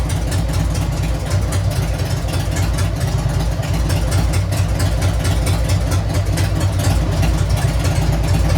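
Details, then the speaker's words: Harley-Davidson Sportster 883 converted to 1200 with new Wiseco pistons, rings and cylinders, first start during heat cycle, about 79 degrees, 105 on the pipe: loping, uneven V-twin idle with deep, steady pulses, no knocking or rattles; healthy idle. "Wow, don't sound bad. I'm supposed to rev it. I'm supposed to be doing a heat cycle."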